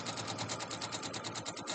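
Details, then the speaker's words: Sewing machine stitching a quilt block: fast, even ticking rattle about eight to nine beats a second, something loose clattering, cause unknown; owner thinks it may need servicing. "let me know if that sewing machine is too loud i feel like and also i hear that rattling i'm not sure i might have to have it serviced"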